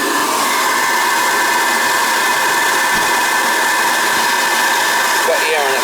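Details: Riello oil burner on a Weil-McLain Ultra boiler with an overhead oil line and running issues. The burner is run so it won't fire, to check oil flow. A steady high-pitched motor and pump hum with no flame whoosh.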